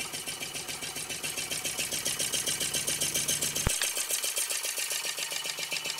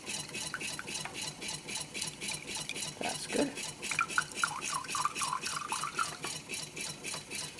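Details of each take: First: DIY Stirling engine on first run after a wobbly start, smoking off the displacer, running better: light even ticking at about 220 per minute with a crisp high rattle on top, no knocks; smooth, healthy, quiet run. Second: New homemade Stirling engine with water pump, first run on an alcohol burner: quiet, soft rhythmic swish with light scraping about once a second; builder suspects the steel wool inside is rubbing, maybe something more. Rubbing noise, cause unconfirmed.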